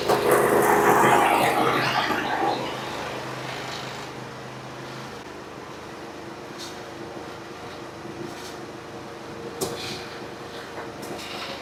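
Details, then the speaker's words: Briggs & Stratton 24 hp twin on a Husqvarna, low power under load, old gas and dirty oil, governor-linkage wire removed, after a repair to one cylinder: quiet fast idle broken by sharp irregular pops every second or two; backfiring from leaking intake valve on the other cylinder. "we're going to have a problem on this other side too there backfiring popping"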